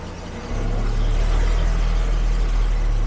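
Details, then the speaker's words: 1974 carbureted Jaguar XJ12 V12 after a timing adjustment: catches after a brief crank and runs deep and even, now firing on all 12 cylinders, possibly missing on one. Still cold and needing timing and carb adjustment. "it does feel very, very 12 cylinders. Not at all like before. Alright, I mean, we're missing on one there, but it definitely needs a lot of adjustments. But we are running on 12."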